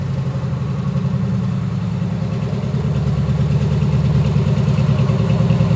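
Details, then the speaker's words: Freshly built Chevy 350 V8 on first fire-up, EFI set for 800 rpm idle, ethanol-free fuel: deep, even rumble at steady idle with no knocks, ticks or misses; motor sounds fine, normal idle. "Yeah, I think motor itself sounds fine."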